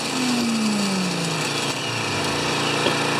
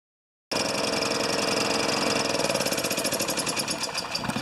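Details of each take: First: Older Honda EX1000 generator after repair (previously ran only on choke); governor turned up slightly to about 110, small single-cylinder engine then runs steadily at constant speed after a brief falling tone; normal running speed, though it won't drop to idle without load. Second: Older Honda EX1000 generator that only runs with choke on, fuel possibly stale premium from last year: engine catches and runs but turns uneven and surging after a couple of seconds; dirty fuel or dirty carburetor suspected.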